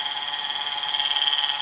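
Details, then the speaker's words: Baldor 1/3 HP 230 V three-phase 1725 RPM surplus motor on Teco L510 VFD from 120 V single phase, run near/above 60 Hz; steady high whine from rear of motor, owner suspects bad bearing, unconfirmed. "I don't know this is a surplus motor it's got a bad bearing they've just got to be run in but that's just the nature kind of what it sounds like it sounds like it's coming right in the back here"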